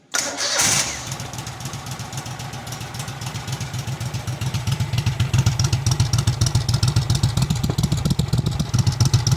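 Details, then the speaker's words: Cub Cadet 2186 Kohler Command CH18/CH20 twin after rebuild, ticking cured by reinstalling OEM pistons and wrist pins: cranks, catches quickly, settles into steady even low idle with no top-end ticking; quiet as it should be. "so I put the OEM Pistons back in OEM wrist pins back in and um noise is gone it is nice and quiet like a command should be"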